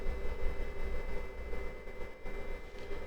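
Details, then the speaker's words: Fnirsi IPS 3608 AC/DC digital power supply, output off, internal cooling fan that kicked in around 33° and still running at 37°, fan close to microphone: low steady whirr with a faint constant high tone; fan running normally, not terribly noisy. "The fan itself, you can probably hear it. It's not terribly noisy."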